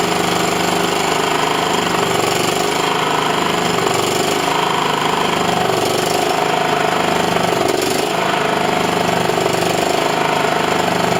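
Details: John Deere L110 mower's small single-cylinder engine after a carb clean without full strip-down and a second oil change; even, steady chatter at idle with no popping, misses or surging. Normal idle.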